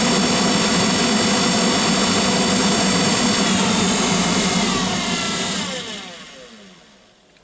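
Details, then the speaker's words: GAZelle heater blower motor, after greasing: loud, steady high whirring hum that winds down smoothly when switched off; owner suspects the noise comes from the commutator where the brushes ride and plans to clean it. Blower motor hum. "вы знаете вот шум идет как раз таки вот с этого коллектора по которым щетки ходят жужжит"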